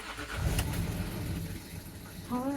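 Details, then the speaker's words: 2009 Land Rover Discovery 3 diesel, 150k miles, genuine first start after DIY timing belt replacement, low fuel and coolant warning: starter turns briefly, engine catches and settles into low even rumble without knocks or rattles; clean normal start. "I think it's done it sounds um it sounds like a discovery"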